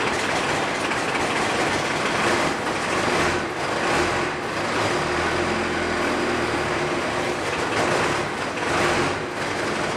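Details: Cummins 4BT diesel in a 1968 Ford Bronco, freshly started for the first time after bleeding fuel lines: loud clattery steady running with heavy mechanical rattle; noisy but even.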